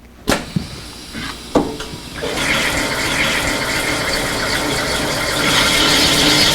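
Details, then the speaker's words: Remet LS250V automatic metallographic grinding machine with Akasel diamond disc: a few handling knocks, then steady wet hiss and grind starts immediately as force is applied; normal grinding. "you can hear as soon as the force is applied that the grinding starts taking place immediately"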